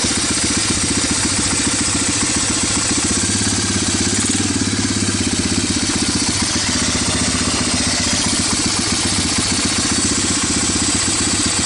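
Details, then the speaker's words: Barn-find Honda TRX250 ATV, parts donor left outside, started on starting fluid: quick steady single-cylinder putter at raised idle with crisp exhaust note, no knocks or rattles; oil looks clean. Runs clean. "or I can actually found pretty good no bad sounds nothing in the oil week I got the idol turns up"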